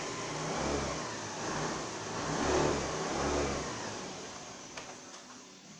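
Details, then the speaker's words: 2014 Honda Lead 110 scooter after camshaft bearing replacement fixed a loud engine noise: the small engine revs up and settles back cleanly several times with no knocking or rattle; sounds normal. "agora foi resolvido ela já está ligada aqui ó mostrar para vocês ó ó o barulho no motor ó sem barulho nenhum só o normal dela"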